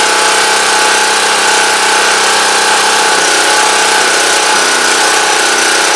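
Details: Champion Dual Fuel 3500 W generator after carburetor cleaning fixed a no-start, started on full choke; loud, fairly steady buzzing drone with slight unevenness, judged a success though unsure whether it runs a bit rough, as it always sounds.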